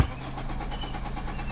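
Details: 2010 Hyundai Sonata crank no-start: starter cranks the engine steadily with a fast, even churning rhythm and tachometer moving, but it never catches; the fuel pump had failed.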